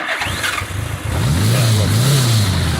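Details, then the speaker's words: Restored 1976 Honda GL1000 Goldwing Limited, 21,700 miles, recently run; cranks briefly, starts right up in neutral and idles smoothly with clean blips, no smoke, missing or knocking: healthy engine. "started right up. No smoke. Sounds really good. Runs really good."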